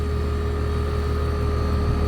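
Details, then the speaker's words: Newly replaced compressor in a two-year-old HVAC unit running before refrigerant is added, freshly washed coil still warming with low pressures: steady even hum, clean constant tone, no knocks or rattles; compressor pumping and sounds good. "Sounds good. Compressor sounds good. And it's pumping, so we're gonna let that coil heat up a little bit before we start adding any refrigerant."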